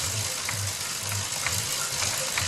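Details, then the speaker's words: Bicycle with a dry, stretched, slack chain: rhythmic slapping and rattle over the drivetrain whir as the chain vibrates sideways at its resonant frequency in certain gears at higher RPM, felt through the frame; less noticeable when slowing down. "In this gear at this RPM, it starts vibrating right now. And this vibration is felt through the frame, through the floor, through the entire frame of the bicycle. It's bad."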